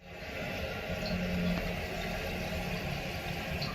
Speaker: The problem is this, a bad rubber flapper.